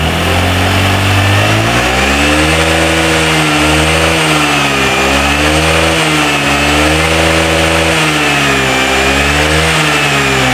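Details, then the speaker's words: Old Honda Vario scooter that hesitates and stutters on the road, with a normal spark at idle: at mid, part throttle the note wavers and cuts out at irregular moments, then recovers. Intermittent spark breakup misfire. "Jadi kalau yang di saat dia engak Normal itu teman-teman putus-putus ya begitu ya"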